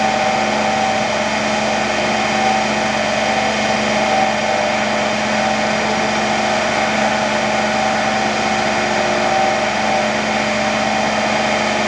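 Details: Motor-generator (AC–DC) trainer set, AC motor going from star to delta, DC shunt generator giving residual voltage with field winding not yet connected: steady even electric hum, clear mid-pitched tone, no knocks or rubbing.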